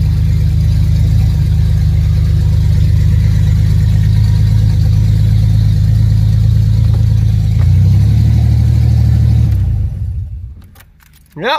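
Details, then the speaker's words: Ford Ranger (budget build) fired right up: even low idle lifting briefly with a small throttle blip, then shut down cleanly; normal idle. "So let's hop in and see what this puppy sounds like. Oh, buddy. Idles down, kinda."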